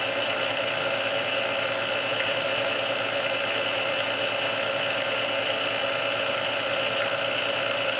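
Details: Restored Sunbeam Mixmaster Model 12 that had been quickly overheating its rebuilt speed resistor, after swapping all internal parts: steady, even motor whir on first (low) speed for about 2 minutes, no surging, strain or rising pitch; original cause unknown.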